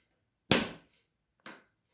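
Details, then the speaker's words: Honda Activa 125 BS6 seat lock after the seat clip was fixed at its 5th service: one crisp clack, then a softer knock, nothing dragging; the lock now fully releases the seat on pressing the button, where before it held until the seat was lifted. "आपको आवाज़ में difference I होगी difference कैसे वह ऐसे की अब lock जो है वह सीट को पूरा छोड़ दिया"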